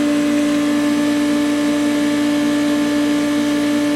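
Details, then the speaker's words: Loud steady droning hum with faint rough pulse, unit vibrating; owner suspects a bearing, not confirmed. "You hear that? That don't sound good. Perhaps a bearing? It's actually vibrating."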